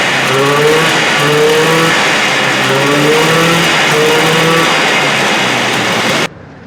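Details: 1978 Arctic Cat Jag 340 two-stroke snowmobile, rebuilt after low compression on one cylinder, run up on a stand: high, buzzy revving up and down cleanly on both cylinders; running well, carbs still need adjusting.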